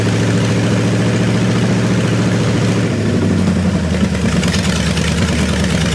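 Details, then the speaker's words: Buick Nailhead V8 rail dragster after a carburetor change and tuning, now getting full fuel instead of a splash: loud, deep, lumpy burble that settles into a steady, even idle. Normal idle. "holy sholey that's loud holy shimley that's loud damn bro that's uh that's all we need that's good"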